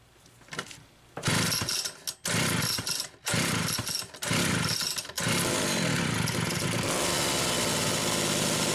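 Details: Homelite Super XL chainsaw, test run after carburetor repair: a few pull-start bursts, then it catches and holds a steady, even buzz with no stumbling; clean-running two-stroke.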